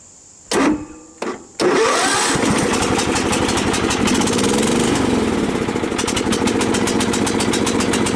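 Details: Cub Cadet LT 1018 lawn tractor after deck, drive and blade engagement repairs, PTO engaged first time: short cranking burst catching into an even, steady run under blade load, no knocks or grinding; cutting grass normally.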